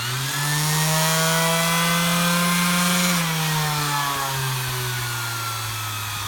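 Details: Bosch GEX 125 AC orbital sander after a bearing replacement and a holder swap converting it to a GEX 150 AC: steady, smooth motor hum with no rattle or grinding.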